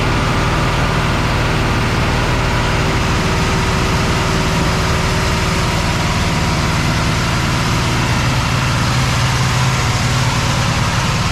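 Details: Cadillac ("Lil Debby") idling steadily with an even low rumble, no sputter or surging, after fuel-system diagnosis of a brand-new but failing fuel pump; running without a fuel return, possible vapor lock suspected; return-style filter still to be refitted. Normal idle.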